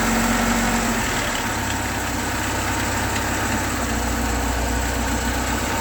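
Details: VAZ Zhiguli engine at idle: uneven tapping of about four knocks per second over the hum; owner asks whether the timing chain is the cause; engine knock, cause unclear.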